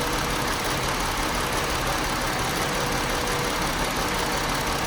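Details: 2018 Chrysler Pacifica with P0300 multiple cylinder misfire: uneven, chugging idle with irregular stumbles once or twice a second. After the battery died and was replaced, it idled normally for about 25 seconds before turning rough.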